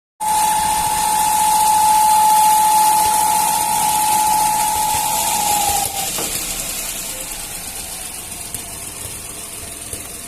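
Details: A Fiat Uno Firefly 1.0 three-cylinder petrol engine idles with a loud steady whistle around 850 Hz from a torn valve cover breather diaphragm; replacing the diaphragm fixed it.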